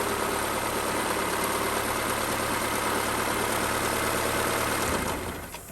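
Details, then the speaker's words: 1991 Honda Civic hatchback, ED6 engine, 302,000 miles, after a valve adjustment (valves were too tight), cylinder 1 cleaned of rust and a new plug; compression 208–210: a smooth, even idle with slight noise from an old timing belt. Running healthy. "look at that almost no noise 302 000 miles just hear some belt noise from over here it's not the original timing belt but it's an old one other than that it's running good"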